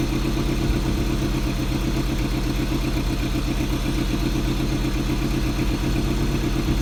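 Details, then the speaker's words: Toyota MR2 with K-series Honda swap, stock RSX header, about 2.5-inch piping and stock MR2 exhaust, cold start after Ktuned returned the throttle body: uneven chattering low beat, about four pulses a second; sounds wrong, seemingly worse, cause unknown. "yeah it doesn't sound right I'm gonna turn it off something sounds weird seems like it got worse that's not good"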